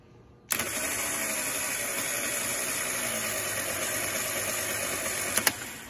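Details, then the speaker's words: Starter motor on bench, battery-powered and triggered via signal terminal with Power Probe, current graphed on oscilloscope: spins with rough, raspy whir and uneven rattle, not healthy; starter failing, on its way out. "so by feeding a power I can turn that starter on okay and you can hear it it does not sound healthy whatsoever"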